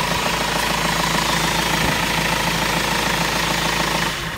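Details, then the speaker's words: 2004 Renault Master MK2 2.5 dCi van, running during a fuel filter change with the air box off: even, regular diesel clatter at steady idle, about four beats a second, no stumbling or hunting; runs fine. "Okay, so you put the new fuel filter in. You can hear the engine running."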